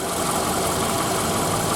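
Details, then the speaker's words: 2008 Toyota Camry 40, 2.4 L 2AZ-FE, 176,000 km, after replacing the water pump, belt and coolant: smooth, quiet, even idle; the earlier knock is gone and the engine whispers, all working normally. "Я доволен результат Вы слышали и видели да вот этот стук ушел двигатель Шепчет отлично Все работает"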